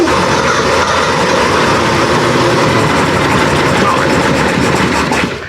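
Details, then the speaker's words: 1972 Ford F100 4x4, 390 V8, four-speed, parked 15-plus years, first start with gas splashed in: catches and runs with loud uneven rumble and some clatter, then cuts off. "It lives! Okay. Yes, that was epic. Really good. First time in 15 years."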